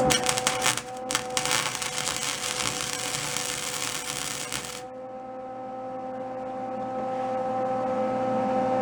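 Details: Old salvaged Lincoln flux-core welder, revived and dialled in, welding cleaned hot-rolled steel: even, continuous frying crackle for about five seconds before the arc stops, no popping or sputter, judged to sound pretty good.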